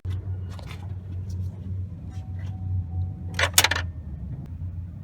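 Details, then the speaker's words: 2012 Chevy Malibu 2.4, a no-start in a parking lot. Turning the key gives a few sharp clicks from the starter over a low hum, with no cranking. Power is reaching it and banging on the starter didn't help. The starter has failed; starter clicking, no crank. "See, all it's doing is clicking, and you can hear the clicking coming from the starter."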